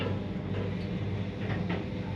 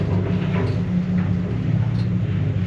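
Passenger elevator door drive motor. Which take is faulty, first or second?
first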